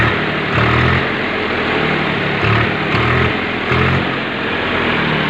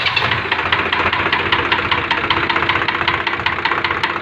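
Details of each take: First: Swaraj 735 tractor diesel, seized from overheating, restarted after repair: starts and settles into a steady, even idle with regular clatter, normal diesel idle. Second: Swaraj 735 tractor diesel idling after overheating and seizing from lack of coolant: hard metallic knock about two to three times a second; number two piston expected to be seized; piston scuffing knock.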